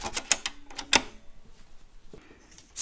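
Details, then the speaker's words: Teac FD-55GFR 5.25-inch floppy drive on an old NEC UF0001 USB floppy controller via 26-to-34-pin adapter, reading an old game disk: quick bursts of sharp ticks then near silence as the head seeks; table of contents reads but file copying fails. "it's this old game all imperium and if you put it in you hear the the sound and you can see ah it gives the table of content so obviously it can read the file location table"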